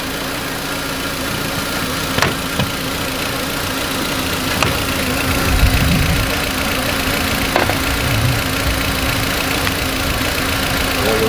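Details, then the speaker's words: 2004 VW Beetle 1.8 Turbo idling cold: slightly uneven beat and steady hiss, rough idle from a vacuum leak at the brake booster line, also causing hard brake pedal; found by spraying fittings. "this vacuum leak is way back in the back it's on the booster cylinder already checked earlier on the brake booster and that's what's giving this car rough idle"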